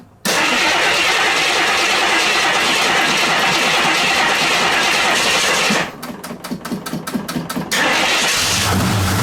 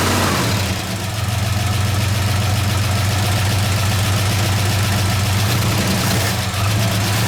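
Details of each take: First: 1969 AMC Javelin, 290 V8 with old fuel and a carburetor accelerator-pump fuel leak: after a short crank catches and settles into an uneven, stumbling, lumpy idle; misfire from loose spark plugs. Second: 1969 AMC Javelin 290 V8 on old fuel, after tightening three loose spark plugs and reseating a plug boot: a steady, even idle with a deep smooth burble and no stumble. The earlier jerking miss is gone; normal idle.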